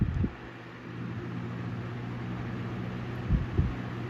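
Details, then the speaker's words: 1923 Emerson 71666 desk fan after repaint and gearbox cleaning, running on low: soft, steady low hum with no wobble, rattle or rubbing, switch contacts poor; well balanced, normal running. "That's pretty well balanced too, considering. I really didn't know how well that was going to go. It seems to be balanced."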